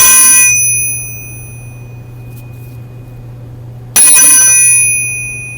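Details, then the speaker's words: Coupling gear from a 1949 Ariel Square Four crankshaft, struck on the bench without its vibration damper fitted: sharp strike followed by a long, clear, bell-like ring that slowly fades, unlike the damped gear. "Rings like a bell. Well, that loud ringing from the unprotected gear, that pretty much says it all."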